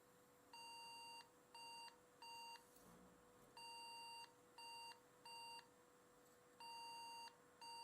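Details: Pentium 4 desktop that powers on with no display, tried on DVI and VGA: groups of short high beeps, long then two short, repeating every few seconds in a quiet room; POST error code, owner suspects broken RAM after swapping sticks and slots.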